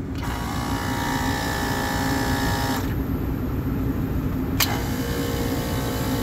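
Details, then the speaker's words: AC unit compressors bumped by hand at the contactor during repair: smooth steady hum with constant whir, no knocking, grinding or rattle; both sound decent, not running backwards. "they both sound decent I don't really see any problems with the way that they sound so they don't sound like they're going in the wrong direction or anything"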